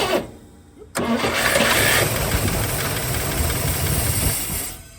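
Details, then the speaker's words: 1961 DeSoto that sat for decades: cranking with brief ragged catches that never settle into an idle; won't restart, fuel setup ruled out, owner suspects non-flammable old fuel in the line blocking fresh fuel. "Well, it didn't want to fire back up, but it's definitely not an issue with my fuel setup."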